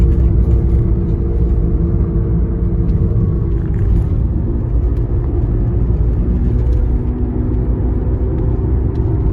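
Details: 2009 Toyota Prius driving: a steady mid-pitched whine over heavy low road rumble; cause unknown.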